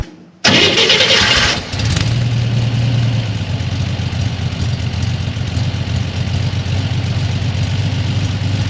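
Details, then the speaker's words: Flood-damaged Corvair on a new custom fuel injection system: it flares after a brief crank, then settles to an even idle of about 1,000 rpm, running slightly lean per the air-fuel readout. Slightly high idle after start-up. "it's idling about 1,000 RPM air fuel ratio hasn't come online yet there it goes and it'll fluctuate a little bit"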